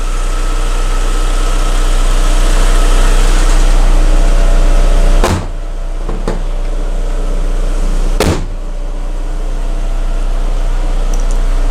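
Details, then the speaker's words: VW Bora 1.6L petrol (AKL/AEH engine), first start after a timing belt swap, clutch pressed: smooth, even low hum at idle with a steady pulse, no ticking or knocking; sounds very good, normal idle. "This is always a nervous moment when you have swapped a timing belt. Okay. Oh yeah, press the clutch maybe. Sounds good. Sounds very good."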